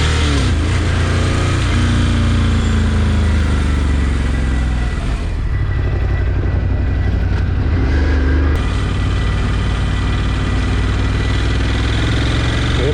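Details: Ducati Scrambler 1100 (built 09/2018) V-twin idling with a few blips, a rough, uneven knock under the exhaust beat. Piston slap is suspected, not confirmed.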